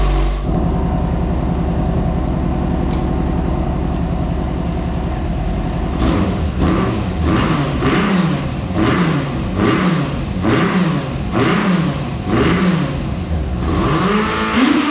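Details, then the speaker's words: Flood-damaged Yamaha FZ6 Fazer, revived after cleaning the intakes, flushing and refilling the oil. The engine runs steadily with regular throttle blips and no knock or misfire; it sounds like a normal, healthy bike again. "so it's working like a bike again it sounds like a bike again it's not pumping water again it's acting just like a bike so"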